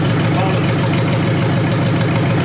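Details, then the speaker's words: 1953 Hemi engine idling after restart: smooth, even idle with a soft rhythmic click from the old mechanical fuel pump; normal pump noise, oil pressure good. "Here in old fuel pump. Yeah, oh, the pumping? The old one? Yeah. Yeah, mechanical, you can hear it."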